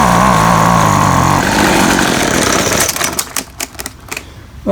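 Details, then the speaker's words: Featherlite Extreme FX 265 trimmer, 25cc two-stroke, bought used, after carburetor reassembly: runs a few seconds with wavering uneven note, then stumbles and dies; rough running, owner suspects carburetor adjustment or metering diaphragm. "primer bowl is full there um either need some adjustment or that diaphragm that metering diaphragm maybe something to go back and look at and replace"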